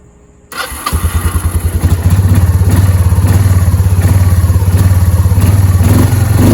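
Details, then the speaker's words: Kawasaki Prairie 300 ATV after exhaust reassembly: starts first try and settles to an even, quick thumping idle, much quieter than before, with no hissing at the exhaust seal. Normal running. "So sounds good. It's not extremely loud like it was."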